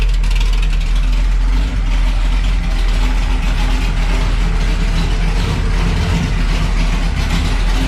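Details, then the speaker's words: Camaro V8 just fired after installing new American Racing headers, X-pipe and Powermaster starter, run briefly; deep, steady, even exhaust rumble with no ticks or knocks, healthy idle. "So we just let it run for a couple seconds there."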